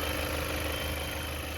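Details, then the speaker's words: 2017 Chevy Malibu after water pump replacement: steady, even idle with no squeal or bearing rumble from the pump area; engine runs smoothly, repair successful. "okay I still like it yeah very smooth and sound so that's a sign of a good job"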